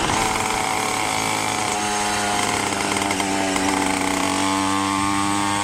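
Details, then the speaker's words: Minarelli two-stroke on a motorized bicycle with a 110 main jet, rehoned and only about a tank run through it: starts easily and revs high and steady with a slightly burbly top end; the owner thinks it is basically tuned but still a touch rich. "Man, she starts up easy. Actually sounds a little fat on the very top still."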